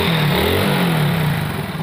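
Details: Hero Honda Super Splendor single-cylinder after engine reassembly for a clutch bearing noise: revs up cleanly and settles back, steady even drone with no rattle or whirring from the clutch side.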